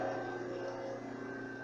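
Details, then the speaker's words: Overlock sewing machine on a husband-built bench, not yet threaded or adjusted, switched on: steady quiet hum with thin constant whine as the motor spins evenly, no knocking or grinding; normal motor hum. "Então aqui, ó, eu ligo aqui a minha máquina. Vocês vão escutar um barulho agora e a máquina sendo ligada, ó."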